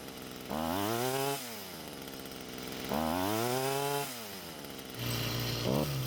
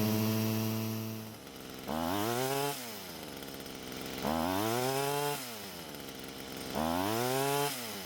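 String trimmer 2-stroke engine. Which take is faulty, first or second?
first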